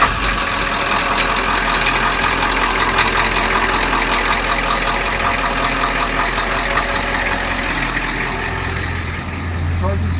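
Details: School bus (skoolie) idling after a new Leece Neville alternator was installed, charging between 12 and 15 volts. Steady, even diesel-type idle with a constant low drone and no knocking or squeal. The engine is running normally.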